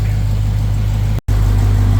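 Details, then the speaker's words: Supercharged Dodge Charger Hellcat V8 idling after oil change, checked for oil drips: deep steady burble with smooth even pulse, no ticks or misses; healthy exhaust note. "This car has such a nice exhaust note to it."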